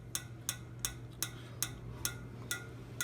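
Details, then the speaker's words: PTAC unit fan after its small metal clips were removed: crisp even ticks about three a second over a low fan hum. A scarred mark on the fan blade is noted, though the owner doubts it matters. Fan blade ticking. "when I kind of scarred up the fan blade but that shouldn't make a dang difference"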